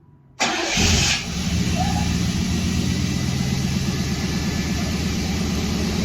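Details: 1991 Buick Roadmaster wagon after new fuel pump and new ignition control module, fuses checked: pump heard priming, brief crank catches at once and settles into a steady, even idle with no misses; starts and runs healthy.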